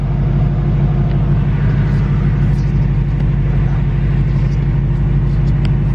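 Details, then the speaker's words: 2018–2019 Ford Mustang GT (Coyote) while riding: a light, quick ticking at about three per second over a low engine rumble. Since an oil change it came back in the last two weeks, louder than ever. The owner says it is not from the direct injection; the cause is unknown. "I'm at the most famous spot of them all where I learned that my moto is ticking let me see if you guys could hear it"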